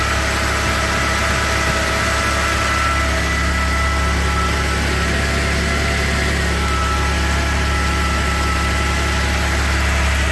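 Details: Volvo XC90 3.2 engine after cold start idling with a clear high whine that holds pitch then slides downward near the end.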